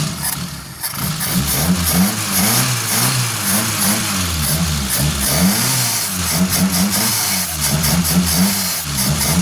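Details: 1989 Suzuki Forsa after new, cleaned spark plugs and a carburetor cleaned of oil on its lip; the earlier misfire is gone. Steady idle climbing into clean, even revs and settling back, healthy and crisp.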